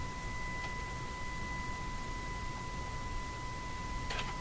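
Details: RCA Victor Model 911KG radio AM alignment at 1500, adjusting capacitor: steady pure tone around 1 kHz with faint octave above through the speaker; signal generator test tone coming through cleanly.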